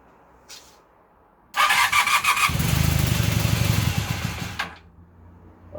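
Brief crank, the engine catches and runs fast and busy on choke, then settles to an even idle; healthy cold start.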